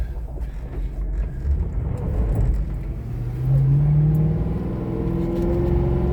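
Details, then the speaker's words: 2011 Ford Crown Victoria Police Interceptor, 108k miles, V8, road drive; deep even rumble climbing in pitch under hard throttle, no knocks or misses, smooth and shifts perfectly, normal acceleration. "So there you have it, man. This thing's super smooth. Engine sounds great, shifts perfectly."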